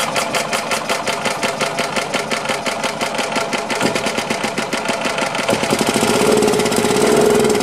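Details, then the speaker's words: Long-stored Yamaha G2 gas golf cart, after carb cleaner sprayed into the carburetor with choke stuck open: small engine chugging about three beats a second, a bit uneven, then picking up slightly; it catches and keeps running. "awesome uh well that's great it's going too good so far"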